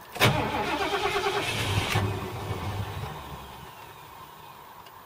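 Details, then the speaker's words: 1978 Ford LTD on LPG, gas turned off to crank, previous starting trouble thought to be the battery; brisk, even cranking about three beats a second with no firing, then winds down: starter sounds fine. "Starter sounds alright. Just got to use up all the LPG. Yeah, starter sounds fine."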